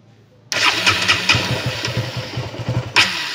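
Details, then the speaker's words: KTM Duke 200 with a leaking fuel pump hose whose clamp released: it fires up, runs rough and stumbles for a couple of seconds, then stalls. It dies at idle and loses power from lost fuel pressure, fixed by replacing the hose. "hindi siya nagtutuloy yung ah pag-andar ng motor namamatay siya ayan ayan namamatay"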